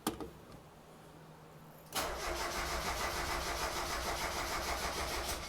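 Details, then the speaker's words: 1990 Mazda Miata after top-end engine rebuild, first start attempt with coil packs reconnected: starter cranks steadily at about 200 beats a minute but the engine never fires; crank no start, owner assumes no fuel. "really nervous something's happening i'm assuming there's no fuel"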